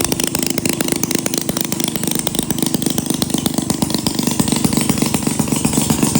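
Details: 1937 Maytag Model 92 single-cylinder two-stroke, running before cosmetic cleanup and repaint, needing no mechanical or ignition work: sharp even exhaust pops about four per second over steady mechanical clatter; running cleanly and healthy.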